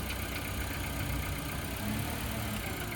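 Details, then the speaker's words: 2016 Nissan Sentra at police auction lot seven, jump-started from a jump box: low, smooth steady idle with no knocks, misses or squeals, then put in gear forward and backward; runs fine. "Started right up with a jump. Actually sounded really good."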